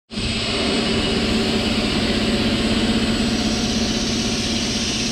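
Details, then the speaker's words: Ingersoll Rand T30 air compressor running on single-phase power through a Huanyang VFD: a steady, even whirring run with no surging or slowing; it is quiet and running smoothly. "but that's actually quiet and it's running very nice"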